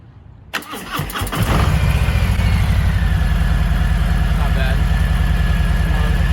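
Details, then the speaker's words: 2020 Harley-Davidson Low Rider S, about 170 miles, stock exhaust, after warranty compensator replacement: starter whirrs briefly, engine catches and settles to a steady, even V-twin idle around 200 pulses a minute; sounds healthy. "so not too bad for a stock exhaust but obviously that does need to come next"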